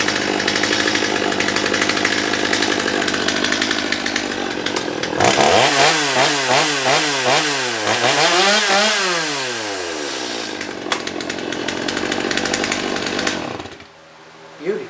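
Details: Old Stihl chainsaw on a hot start: crisp two-stroke revs up and down cleanly, snapping back to a smooth idle with no bogging or stumbling. Now runs properly.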